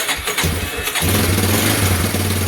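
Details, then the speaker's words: Yamaha Warrior ATV single-cylinder, first start in about 10 years after carb rebuild, fresh gas, new battery and petcock, flushed tank, oil added: short cranking then catches at about one second, steady even idle; clean start. "god after 10 years she fires just like that"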